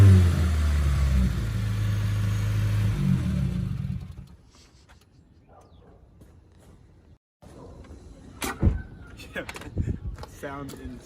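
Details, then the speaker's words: 2015–2019 Subaru WRX with a new front-mount intercooler fitted and no blow-off valve: loud, low, choppy revving, then a drop with a flutter on throttle lift, which is turbo compressor surge. "Since I do not have a blow-off valve, you get the turbo stutter, which is insane. Wasn't expecting it."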